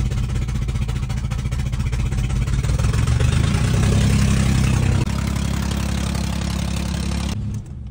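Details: Supercharged Nissan Xterra at 281,000 miles: the engine catches and revs with a rattly, uneven lawnmower-like chuff, a mix of engine and exhaust noise, then settles. Rough running, cause undetermined.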